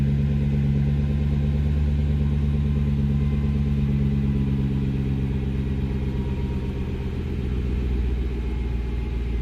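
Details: 2004 Jaguar XKR V8 now idling smoothly with a deep even rumble, after a rough idle (running on 6–7 cylinders) after sitting for months was fixed by refitting a loose part that had come off the throttle body.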